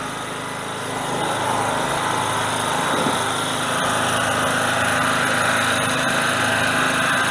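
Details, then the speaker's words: Generator small engine on original carburetor, choke off, no load yet, to run until fuel runs out: picks up quickly, holds steady even buzz without missing or hunting; normal no-load running. "okay let's crank it i'll put choke the choke is off okay i want to run it i want to run it until the gas runs out"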